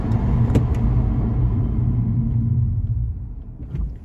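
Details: Car fitted with new Ferodo DS2500 brake pads, now bedded in: low road rumble fades as the car slows to a stop with no squeal or grinding; braking is quiet and normal.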